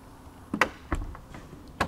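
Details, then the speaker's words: 2014 Bentley Continental GT, 50,000 miles: light latch click, short motor whir and firm final clunk as the door pulls itself shut; soft-close door working normally. "and it closes itself it's called soft closed doors"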